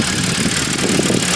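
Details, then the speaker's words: Flooded 2013 Audi A6 C7 3.0T after revival, muffler delete and cats: even, steady idle; belt squeal from idlers noted; sounds good. "But, bro, she sounds good. You know, for a muffler delete and cats, I can't really complain."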